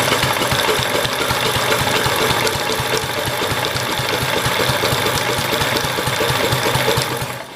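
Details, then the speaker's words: Kohler K181 single-cylinder engine on half choke, cranked from a jumper pack. A fast, rough rattling crank of about three beats a second for seven seconds never catches. The owner thinks it is slightly flooded and suspects the coil is shot. "i think it's a little bit flooded damn i do not think it is going to take i think the coil might be shot"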